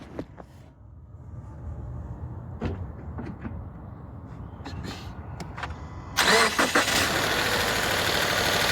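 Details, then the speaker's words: 2018 Subaru Forester Touring, warm start with the mic in the engine bay: quick crank and catch into a steady idle with fine, rapid, even ticking; normal direct-injection injector tick. "Um that being said, they are direct injection, so the ticking that's what you want to hear. That means your injectors are activating as normal."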